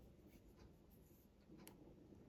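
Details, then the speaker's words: NX Audio MT1601 power amplifier with no output on channel A, relay test on bench power at 30.3 V: new replacement relay gives one crisp, sharp click as it pulls in, switching normally, whereas the old relay stays silent. "Now let's check with this new relay. You can hear the clicking sound on this new relay."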